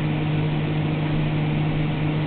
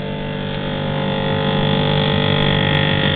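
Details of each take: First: GE refrigerator freezer evaporator fan on high speed after the ice buildup was melted off with a blow dryer: steady, even low hum with no buzzing or scraping. It is quiet and normal, though the fix is only temporary. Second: GE refrigerator freezer fan on high speed: loud steady buzz-saw drone as ice buildup strikes the evaporator fan blades; raising the temperature setting silences it temporarily.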